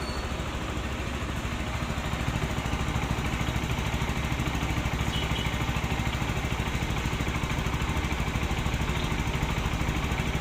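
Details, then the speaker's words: Rouser NS160 after timing chain and roller guide replacement, cover refitted, on test: steady even idle, smooth firing beat, no top-end rattle or chatter; earlier rough timing-chain noise gone, running normal. "So nawala yung ingay niya, no? Normal na yung kanyang andar."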